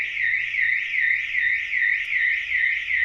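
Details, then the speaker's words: Ford Fiesta van with an Autowatch 695 alarm triggered by intrusion: loud, high, steady wailing siren sweeping up and down about 2.5 times a second, with an extra hidden interior siren and beacon activating after 30 seconds; the alarm is working properly. "And now the beacons are activated. If you poke your head inside, you better hear the other siren, but it's all loud, it's all very loud."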